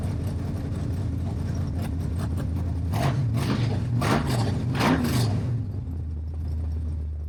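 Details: Stroked 400 big-block Mopar Dodge with open headers, no exhaust, temperature 180 to 200 with fan cycling: even lopey idle rising through clean throttle blips and settling back smoothly; healthy.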